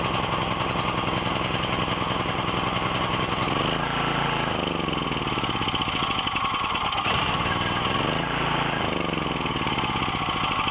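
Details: Briggs & Stratton 7,350 W surge / 5,250 W generator, just fitted with a replacement carb after sitting 6+ years, started on choke with little fuel in the bowl: engine pops unevenly, speed surging and sagging; rough running needing tuning, an intake leak found later.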